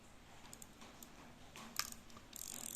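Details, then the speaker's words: Used Japanese rear-drag spinning reel, apparently carbon, that has had mechanic work: faint, uneven ratchety clicks and a soft gear rasp as the handle turns forward. It still turns forward and backward; the cause of the noise is not pinned down. "ก็หมุนเดินหน้ามีเสียงแบบนี้นะครับทำงานปักกิ่งนะครับหมุนเดินหน้าถอยหลังได้ครับ"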